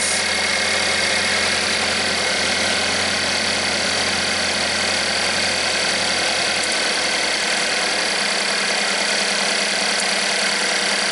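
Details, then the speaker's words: Chevy Equinox with P0016/P0011 codes and low power, after repair of cam timing, scope on intake cam solenoid: cranks up nicely and settles into steady even idle with no knock, misfire or rattle; sounds better, runs healthy. "sounds better already right actually cranked up nicely like we expected"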